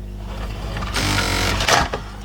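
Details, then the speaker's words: LG VCR whose broken loading mechanism was repaired after about two hours of realigning and fixing gears, now ejecting: a short smooth motor whir into a firm clunk as the cassette comes out. The loading gear is working properly. "hey there we go oh my gosh after all this time it's finally finally working after 2 hours of messing around with alignment and gears and whatnot"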